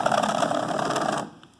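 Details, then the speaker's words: 1985 Mercedes 300SD power seat: fast, rattly whirring buzz for about a second as the cable driving the seat track gears spins, then stops; dry drive cable needing lubrication. "this needs a little lubrication in there it's making some noise did you hear that noise and so i'm going to pop this off and lubricate inside of there and make sure it's attached"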